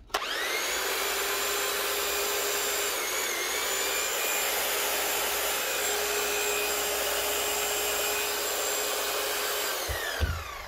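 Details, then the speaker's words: Keyang KH5000M hammer after a mini service (strip, clean, new O-rings, grease, rebuild): a steady, even high-pitched buzz held for ten seconds with no rattle or stutter, then a clean run-down. It runs normally. "Sounds good. Nice one."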